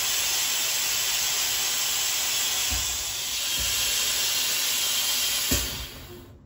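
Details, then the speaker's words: 1973 American LaFrance Pioneer fire engine with Detroit Diesel 6-71, brake pedal held at full air pressure: loud, steady hiss of escaping air then dying away; the front air-brake quick release valve is leaking, a cheap part to replace. "all right so that is the quick release valve in the front air brake system that is leaking"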